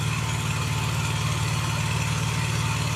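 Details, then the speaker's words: Honda EB6500 generator that sat for years, after carburetor rebuild, valve lash and ignition adjustment, on auto throttle and unchoked: steady, even engine drone settling to idle, smooth firing with no knocks, surging or misses; healthy, putting out 120/240 V. "And I'm not going to choke it again. Let's see if she just runs. down to idle. Sounds good."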